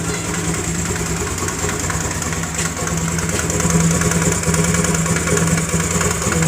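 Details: Honda Grazia BS4 scooter with an engine sound problem, idling unevenly with a regular ticking puff about twice a second on the exhaust note; compression blowing past a loose spark plug.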